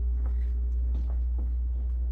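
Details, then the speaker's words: Dishwasher droning with a loud deep steady hum and faint throb, nothing sharp or rattling; noticed after the gas man relit the pilot, the weird noise was just the dishwasher, cause unclear. "It's the freaking dishwasher. It's just the dishwasher making a weird sound."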